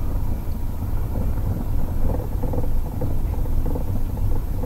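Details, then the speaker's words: 2009 Toyota Prius (Gen 2): irregular light knocks and rattles from the front end over small bumps, felt through the steering wheel, after tightening a loose bottom bolt; struts and intermediate shaft checked OK, driver-side engine mount suspected. "you can definitely hear that knocking rattling whatever you want to call it it's not the shaft though"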